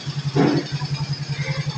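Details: Suzuki Smash 110 single after fixing a no-start power problem, running without a battery: steady, even putt of about nine firing pulses a second with no misses or rattles, idling cleanly.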